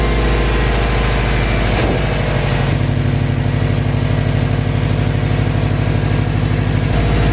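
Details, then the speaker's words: Subaru at idle after fixing cylinder misfire and CEL P0244, steady idle with faint light squeak; owner first thought throw-out bearing, now suspects clutch slave cylinder, unconfirmed. "just a little squeaky but everything seems to be all right you guys can clearly hear that squeak I thought it was my throw out bearing or something"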